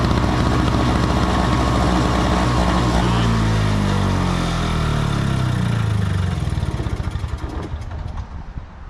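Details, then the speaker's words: Small two-stroke snow blower on 50:1 mix, fresh fuel, won't start normally; on starting fluid it fires, buzzes briefly, then sags and dies. Spark and ignition work; fuel starvation. "fine for a little bit and then it dies so what that means is that the spark plug is working the ignition is working but for some reason this snow blower is not getting enough fuel"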